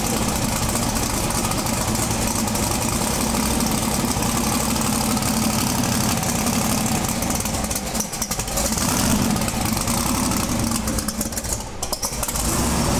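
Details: Twin-turbo big-block V8 pro mod drag car with a Turbo 400 transmission, running again after about 3 years. It idles with a strong, even, choppy lope and no misses or mechanical noise. Normal idle.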